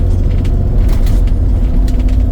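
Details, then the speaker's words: Toyota Land Cruiser 100 series at about 200,000 miles, front Active Height Control suspension collapsed from burst hydraulic spheres, first 10 minutes after starting; heavy road rumble with scattered sharp knocks and rattles over bumps. "The suspension right now, it's not bone shaking, but the first 10 minutes when you turn on the car, it's really quite rattling."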